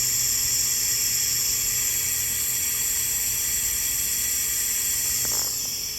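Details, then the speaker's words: 6.0 Powerstroke with a hot no-start, engine off, shop air applied; loud steady high hiss from a leak on the high-pressure oil side, quiet at first, louder once oil cleared the passage; valve cover to come off again. "at first it wasn't so loud it was just pretty quiet but I guess the oil's gotten out of the passage now and it just blowing by so that's no bueno"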